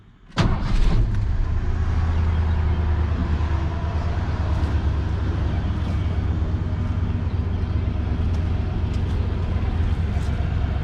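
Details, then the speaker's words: Old Ford F150 revived from a seized engine, after fuel treatment: starts cleanly and settles into a steady, even low rumble with no misses, knocks or smoke; running normally. "no smoke but I don't know it sounds like she's running good"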